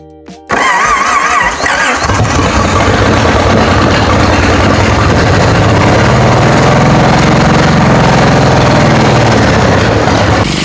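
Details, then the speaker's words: 1946 Plymouth P15, original engine, after swapping the cylinder 1 and 6 ignition wires to cure a backfire and adding a friction-reducing additive: cranks, catches and settles into a steady, even run with no popping. Normal idle; the engine is finally running right. "Fire it up again. This engine, finally running right."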